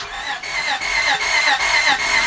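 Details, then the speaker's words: 2000 Honda Odyssey 3.5 crank-no-start: starter spins fast and even with no compression pulses, scan tool shows zero rpm while cranking; broken timing belt suspected, crankshaft position sensor also considered. "listen to the engine noise listen to the way that engine is sounded I don't really hear no compression"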